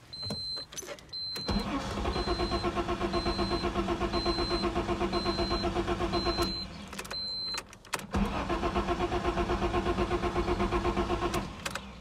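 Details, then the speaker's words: Newly bought Ford Sierra Estate Mk1 4x4 Ghia 2.8 with a known cold-start problem: steady starter churn around four beats a second, two long cranking runs that never catch. Extended cranking with no start; brake cleaner into the intake is tried next. "anyway city doesn't doesn't want to start so let's try some brake paint here we go"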